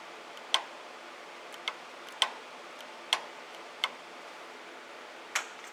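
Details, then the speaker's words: Audi N280 AC compressor control valve bench-tested on a power supply with scope, amp clamp and voltage trace, six crisp, sharp clicks at uneven gaps as it is pulsed; current ramps rather than jumping straight up, so the winding isn't shorted and the solenoid operates normally. "okay so you can hear it and there is the pattern that it created"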